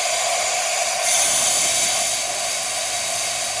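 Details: Toyota RAV4 2.0 AZ-FE cylinder head warped from overheating after coolant loss; valves in the fully closed position tested with light solvent, steady sharp hiss of compressed air leaking past a valve not sealing on its seat.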